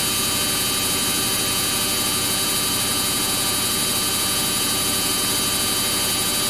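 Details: Samsung front-load washing machine on a cotton wash cycle with bubble soak and heavily soiled clothes, spinning at top speed: a loud, steady high whine with rushing air, with no knocks or thumps. Normal high-speed spin cycle.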